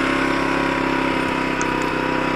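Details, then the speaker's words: Zontes Tiger 125cc single-cylinder motorcycle bought as a non-starter, running on the reserve fuel tap after a spark fix with the anti-theft part removed: quick idle pulse that stumbles and wavers; sputtery, owner thinks the mixture needs adjusting. "if i separated those tables and plugged that in the bike starts and turns off just got to do the mixture because it sounded a bit sputtery"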